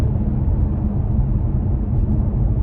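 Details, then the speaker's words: Kia Stinger driving over a bumpy stretch that usually rattles, after electrical tape was applied to the metal hatch: steady low road rumble, no loose rattling from the rear hatch; hatch rattle fixed. "okay well i've gotta say that that experiment worked and the answer for hatch rattle and the stingers seems to be a little bit of electrical tape"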